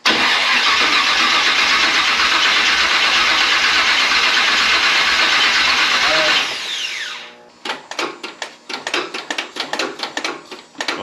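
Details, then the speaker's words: Model A rat rod after TH400 transmission rebuild and reinstall: about six seconds of continuous cranking, then short bursts, turning over but not firing; sounds dry, fuel still needs to reach the engine. "Yeah, it's probably going to take a little bit to get some gas back up there. Cuz she sounds dry. Crank her again."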